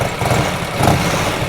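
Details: 1984 Harley-Davidson FLT Tour Glide breaking in after first 8.1 miles, no smoke or leaks. Steady, even potato-potato idle with no knocks or ticks; normal warm idle.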